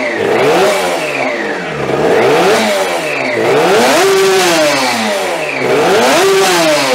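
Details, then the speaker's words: 3D-printed fuel-injected TST100 two-stroke race engine, first start, no radiator fitted, short run: sharp blips rise and fall with throttle, with a whine tracking revs. Primary gear-to-clutch mesh is set tighter than it should be; owner will monitor for gear wear and heat. "So, you'll probably hear or you probably already heard in the videos there's a bit of a whine to it that it shouldn't have."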